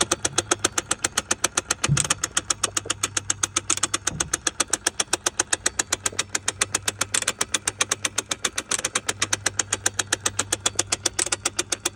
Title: 986 sl560 cruise control actuator ticking noise when off